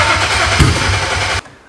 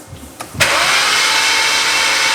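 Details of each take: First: BMW 135i, flood-damaged, sat in a junkyard 8 years, supposedly 11,000 miles. After spark plugs and coil packs refitted it cranks about 1.5 s with steady starter churning but never fires. Fuel gauge bottomed out; owner suspects no fuel or fuel pump. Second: Flood-damaged BMW 135i that sat 8 years in a junkyard, cranked with the coils out to check for water in the cylinders: after a click the starter spins it evenly with no binding. The engine turns freely and isn't seized.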